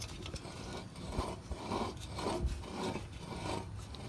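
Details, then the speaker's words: Truck rear axle hub with new bearings, turned by hand: a quiet gritty rasp swelling and fading each turn; bearings feel crunchy, perhaps grease not yet worked in, suspected bad, not confirmed. "if i pulled this off to check it i would say that these are bad you can hear it listen to this"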